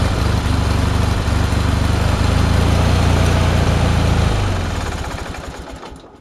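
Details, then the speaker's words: Go-kart small engine running rough: uneven stumbling low chug at three to four beats a second that wavers before dying; owner plans new plugs (old E3s from an Onan) and air cleaner cover, expects it to run better. "as you can hear the engine does not run right right now so yeah it will go a lot faster eventually"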